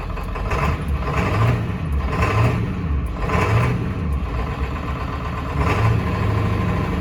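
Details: Ford 7.3 Powerstroke diesel running after 10 years sitting, with fresh oil, oil filter and fuel filter: lumpy idle with a heavier surge about once a second and uneven clatter; shaky rough idle with a possible miss, owner suspects injectors.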